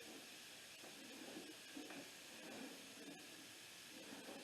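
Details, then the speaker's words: Dykon Express scooter (scrapped, free, getting a scrapyard replacement engine) with engine off: soft steady hiss with small irregular spurts as air escapes the unseated tire bead on the dirty rim; a ratchet strap is planned to seat the bead. "go ahead and put a ratchet strap around it bring it back out don't flap so long that uh it won't pop back on the bead so I'm gonna get a ratchet strap of course if we can't get it to air up we'll just skip on to try to get it to run"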